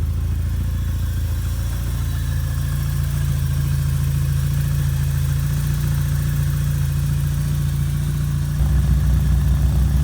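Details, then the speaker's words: 1987 Porsche 924S after a blown fuel pump fuse was replaced, the clogged fuel system fixed and a missed intake gasket addressed: it fires right up to a smooth, even low idle with a steady hum and no knocks, misses or hiss. "here in a moment I'll fire it up for you and you'll get to hear it so as you can see it fires right up"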